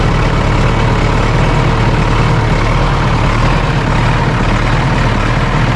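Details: John Deere 450C dozer diesel after fitting a new gear-reduction starter, a little air still in the fuel line: deep, steady rumble holding an even idle with no stumbles or knocks; running fine.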